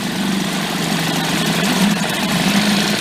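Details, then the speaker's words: Late-1990s Mercury 5 hp outboard, bought broken, running in the water with its water pump working while warming up: an even buzzing idle in gear and in reverse, with no misses or gear clatter. Outboard and gearbox sound healthy. "neutral let go for a reverse yeah reverse doesn't have as much thrust because the way the propeller shape"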